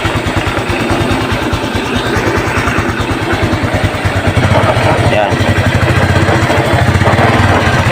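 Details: Fuel-injected Honda XRM 125 that knocks under the engine in every gear from first to fourth, idling: an uneven low knocking about three times a second over the exhaust beat.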